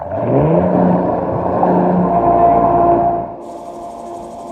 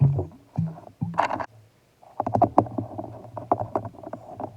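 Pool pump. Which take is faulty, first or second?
second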